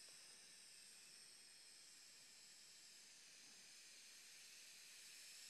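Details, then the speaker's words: Electronic Autococker paintball marker, aired up and cocked, input pressure about 300: steady high hiss that starts when low pressure is adjusted and worsens as it rises; air leak under the solenoid at the three-way valve despite O-rings replaced. "as soon as I adjust the low pressure you can begin to hear the leak from the"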